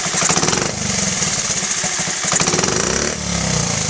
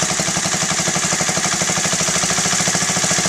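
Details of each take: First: Honda Z50A Mini Trail 50 single, freshly rebuilt carb, pilot screw just set: a throttle blip revs up crisply and returns to idle without dipping, so it is not too rich, and without bogging, so it is not lean. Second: Honda Z50A Mini Trail 50 single, freshly rebuilt carb: the pilot air screw is opened a half turn beyond 1.5 turns out and the quick, even idle speed rises, seeking the highest RPM.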